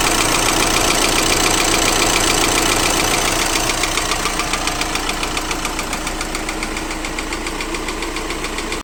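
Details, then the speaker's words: 2012 VW Crafter 2.0 BiTDI twin-turbo diesel idling with a sharp, regular tick-knock about three to four times a second, with power loss into limp mode; combustion gas leaking past two injectors, one hold-down bolt found loosened. "И значит это был стук прорыва газов возле двух форсунок Но почему это происходило"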